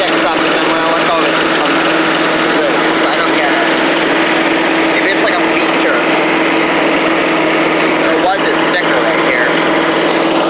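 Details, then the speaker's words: Old Rover Turbothrust mower running after its gunked carburetor was cleaned; loud, steady, even roar with constant low hum, no misses or surging. "yeah it sounds like a giant back sends odd very loud"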